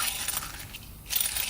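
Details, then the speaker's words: Yamaha Waverunner XL1200 two-stroke jetski pressed crankshaft, engine had taken salt water; hand-spun main bearing gives a dry, gritty, loud rasp with no ring, worn bad bearing. "This bearing is no good, and it's pretty loud. You can hear it."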